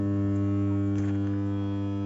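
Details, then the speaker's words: Transformer supplying two feeders at light load (under about 2 MW): loud, steady low-pitched hum, vibrating to the touch. Cause of the excessive noise unknown. "এত অল্প লোডে কেন এরকম শব্দ হচ্ছে? আসলে অতিরিক্ত শব্দ হওয়ার কারণটা কি?"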